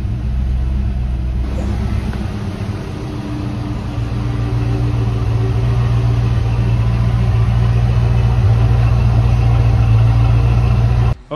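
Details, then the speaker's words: 1989 Saleen Foxbody Mustang V8, first start in over 11 years, after fixing a hunting idle: even, steady idle with no rise and fall, just slightly high and still needing adjustment; the engine runs normally. "as you can see, it idles like it's supposed to now. It's a little high."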